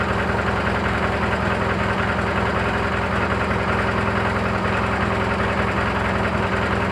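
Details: Briggs & Stratton 18 hp opposed-twin running steadily after new air filter, with a fast regular light chatter about two and a half raps per second over the exhaust; knocking noise, cause unclear.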